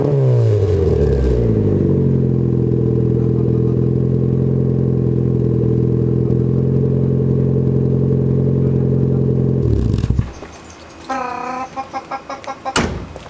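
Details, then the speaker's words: Engine spins up to a steady drone before a new budget performance muffler is installed, then faint tinny rattle and metallic pings: the muffler's internals are broken, though it sounds good otherwise. "so you might have been able to hear that little bit of a rattle in there actually muffler sounds good but it's broken"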